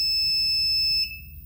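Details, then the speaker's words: 1000 W pure sine wave transformer inverter/charger during settings changes: one long piercing beep of about a second over a low mains hum as the buzzer acknowledges a setting; inverter buzzer beep during settings. "Nah, saya rasa ini bunyinya terlalu berisik. Kita coba cari untuk bunyi."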